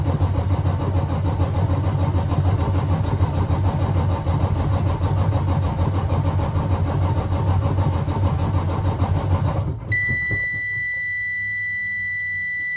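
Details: Freightliner with a 14 L Detroit Series 60 diesel: heavy engine turns over with an uneven labouring rhythm for about ten seconds without catching, then stops. Hard start, long cranking.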